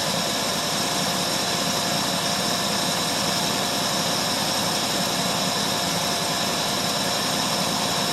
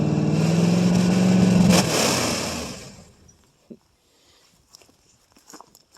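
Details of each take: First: 1968 Ford LTD 390 FE two-barrel V8, about three years unstarted, running on gas poured in carburetor bowl: smooth even idle hum with no knocks, misses or surging. Normal idle; a pretty good runner. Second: 1968 Ford LTD 390 FE two-barrel V8, off road since 1999, about three years unstarted, running on gas poured in the bowl: revs up with pitch climbing about two seconds, then winds down and shuts off. Doesn't smoke too bad.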